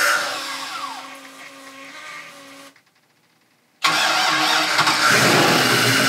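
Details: 2000 Mariah boat 7.4 L 454 MPI MerCruiser V8 after hydrolock, new spark plugs fitted: cranking fades, short pause, then fires and holds a strong steady run, no knock or stumble.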